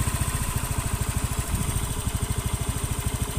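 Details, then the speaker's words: Honda Beat FI (K44/K81) scooter at idle after repair of loose valve guide and compression leak; even low putter, no ticking or rough knock, engine now smooth after about 6 km of riding; earlier rough clicking appeared when hot. "nah ini untuk mesinnya sudah halus ini sudah tak buat jalan sekitar Kurang lebih 3 kiloan lebih malahan Berarti ada 6 kilan lah untuk mesin suara halus ini"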